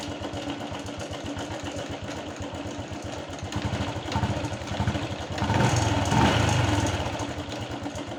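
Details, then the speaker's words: Honda Wave 110i brought in for hard starting and stumbling: steady even single-cylinder idle, then clean smooth rev settling back; normal idle and revving. "เติมเราเติมเรานิ่งนะครับเดินเราได้นะครับยึดวอดก็โอเคนะครับ"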